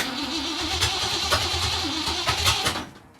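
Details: 1964 Mercury Comet Cyclone, 289 V8 with T10 four-speed, first start attempt after purchase, no mufflers; starter churns about three and a half beats a second with no catch while distributor is turned to adjust timing after setting TDC.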